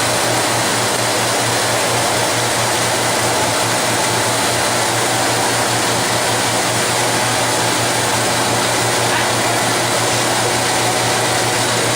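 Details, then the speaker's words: Classroom rotary power trainer: an electric motor drives a generator through V-belt and chain drives. As more lights are switched on, a steady dense whine and low hum strain and load down, and then it shuts down under the heavy load. "One thing that's important about this, I want y'all to listen to the strain that gets. You'll hear the whine. When you start flipping on more lights, you'll hear that motor load down."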